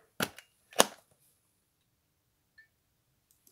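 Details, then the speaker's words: Circa-1960 fluorescent batten fixture, cleaned, first run with a tube on its original gear: two sharp starter clicks about half a second apart, then quiet as the tube strikes; works normally, no insulation fault. "Et ça fonctionne. Il n'y a pas de défaut d'isolement. Donc le luminaire, il fonctionne avec son appareillage d'origine."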